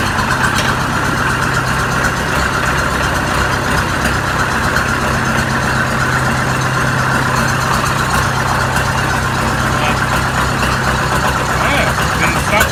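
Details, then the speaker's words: Oliver 550 diesel tractor after new injector, with rigged-up radiator: steady even diesel clatter at idle, constant low drone, not missing, not smoking; normal idle. "Look at that. Not missing. Not smoking. Hell yeah. Alright, so this thing runs."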